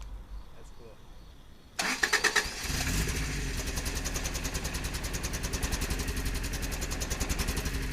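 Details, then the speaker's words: 4WD vehicle after a new fuel pump, filter and inline filter: the engine catches and settles into an uneven, lumpy idle with a stumbling beat, feeling like it runs on 3 cylinders; later compression of 190–205 psi was satisfactory, cause unconfirmed. "whoo that's exciting news that's better than my budget it's running at SAP alright we got some work to figure out but it's going that's cool"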